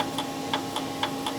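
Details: 2005 Cadillac STS V8 after engine swap with P0011/P0014 codes: bank two intake VVT solenoid energized by jumper wire gives crisp sharp clicks, about six in under two seconds, over faint hum; solenoid switching normally.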